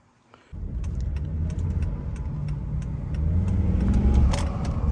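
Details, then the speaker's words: Volvo S40 T5 after engine swap, first drive: starts promptly and holds a smooth, steady low hum with slight turbo sound and light handling clicks; runs healthy. "kind of hear the turbo though a little bit but yeah like I said only ran into one issue so far"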